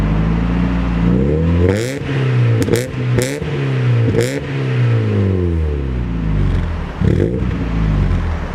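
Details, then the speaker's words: Mazda MX5 after replacing all four spark plugs to cure a misfire: engine revs up and down cleanly with no stumble or popping and pulls off fine, though it still bogs slightly on initial throttle; normal revving. "It seems to pull off now, it revs alright."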